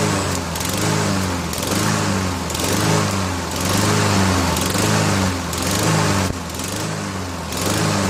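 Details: Honda HRN216 mower after drive belt replacement, started on 3-month-old fuel with 2-stroke mix added: runs continuously with gentle rise and fall about once a second, no knocking or grinding; healthy.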